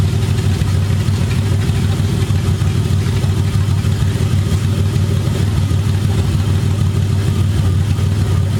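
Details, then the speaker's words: BMW E30 first start-up on open headers only with burble tune, full exhaust not yet fitted: loud raw six-cylinder rasp building and holding with revs, steady deep drone, barely any overrun crackle; normal revving with open headers. "I don't want to annoy my neighbors too much because this thing is loud as it is. I'm waiting to put the complete exhaust on."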